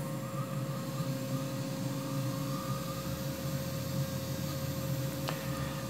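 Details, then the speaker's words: New 3HP ATC spindle on a Hitachi WJ200 VFD, turning very slowly after 12,000 rpm. Quiet steady hum with a faint constant drive whine, even and smooth; current looks good, healthy. "she'd be able to run this thing really really slow I don't know how much torque it actually has it that speed but it is churning"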